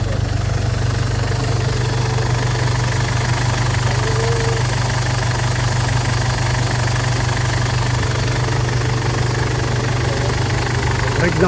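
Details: Ford Everest diesel, previously no-start with belt jumped timing, after replacing timing belt, glow plugs and rocker arms: steady, even idle, smooth low rumble and regular light clatter, no misses or knocks; running healthy.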